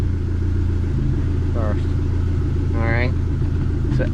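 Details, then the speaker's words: Dodge SRT4 after repair of a failed aftermarket clutch pivot ball and broken bearing retainer, plus cleaned ground wire and battery connections; engine runs steady through the gears with no whine, grind or clunk, gearbox sounds healthy; normal running. "is good to go right here right now [Music] running good everything that we needed to take care of was taken care of"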